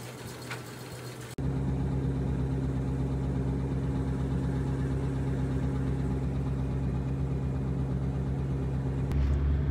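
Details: Rolls-Royce Silver Shadow started after an oil change, checked for leaks at filter and drain: starts after a second and settles to a smooth, even low hum with steady pitch; healthy quiet idle, running well as before.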